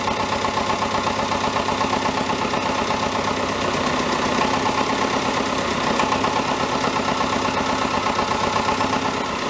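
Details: David Brown 1490 diesel tractor at idle on its first run after an engine rebuild: a steady rattling knock about four a second over the clatter. Owner suspects a fuel injection knock; injectors are being reconditioned.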